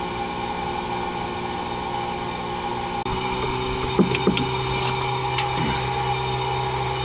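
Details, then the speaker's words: Newly installed heat pump upgrade, evacuated and switched to heat mode: steady, even low hum with a constant fan whir and a few light ticks, nothing harsh; it runs very quietly and normally. "Thing's flipping quiet, man. Nice and cold. Can barely hear the thing running."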